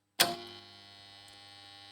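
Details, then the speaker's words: Three-phase motor starter contactor after a home fix for its loud noise: a sharp clack as it pulls in, then only a faint steady hum. The earlier loud noise is gone and this hum is normal. "शकता तर पूर्णपणे आवाज आपला बंद झालेला आहे इतका जर नॉर्मल आवाज तर येतच असतो शेतकरी मित्रांनो पण आपला जे जोरजोरात आवाज येत होता तो आवाज पूर्णपणे बंद झालेला आहे"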